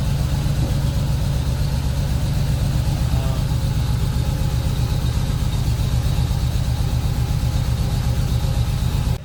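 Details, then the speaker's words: Ford BF Falcon F6 Barra engine idling smoothly after swapping noisy camshafts (suspected dead or dying roller) for a nicer set; strong, even low rumble with steady beat, no ticking or knocking: normal idle. "hey Charlotte what do you think about the car running real nice and smooth"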